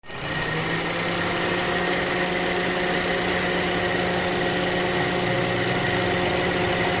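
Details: Car engine at idle with light revving: rough, shaky thrum with an irregular knock-like stumble underneath, typical of a misfiring cylinder; engine misfire at idle.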